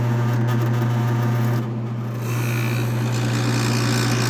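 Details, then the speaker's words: 1966 Admiral Royal 106 air conditioner, restored, with the compressor running as head pressure builds: steady low hum with a faint rattle, no knock or squeal; compressor runs quietly and normally, though the unit is thought slightly low on refrigerant. "once it'll stop once it goes head pressure there you go compressor runs pretty quiet on that"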